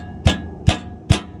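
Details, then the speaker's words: Ford Bronco underside, pre-off-road check: four dull heavy metal clunks about two per second as the oil pan skid plate is rocked; it was left loose after an oil change and gets tightened. "you guys can hear that, but that's loose. So I had to tighten that up."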